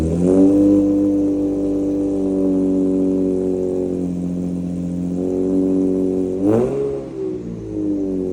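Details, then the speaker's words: Infiniti G35 first start after installing PPE long-tube headers with a Motordyne Shockwave catback: steady, deep, even exhaust note and one clean sharp rev that settles smoothly; normal. "I got the PPE headers. Sounds great."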